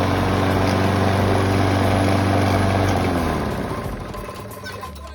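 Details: Craftsman 7 HP Briggs and Stratton self-propelled mower engine, a bit rusty, reported to smoke a little, running a bit shaky with a loose top cover; a steady, fast knock rides on the running, then dies away; engine knocking, cause not pinned down.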